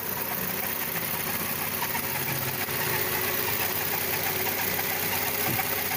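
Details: VW Gol G6 at idle, noise began right after a timing belt replacement: a light, quick ticking chatter about three per second over a hissy background, audible from a distance; owner suspects the belt or a pulley.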